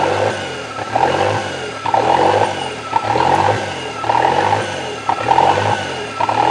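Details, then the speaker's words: Toyota 3E-TE engine at start-up: idle surges between about 1500 and 2500 rpm about once a second, never settling; owner notes engine seems to get hot; hunting idle, cause not confirmed. "so yeah when it starts up it does the bounce idle between about 1500 RPMs to about 2500"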